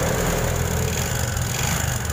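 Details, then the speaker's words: Honda Supra 125 engine idling with a coarse, uneven mechanical roughness and knocking, harsher when hot; likened to a tractor, internal wear suspected, exact part not yet found before teardown of the block and head. "Nah jadi suara mesinnya ya seperti itu mas bro semacam seperti suara jetor atau pabrik paku"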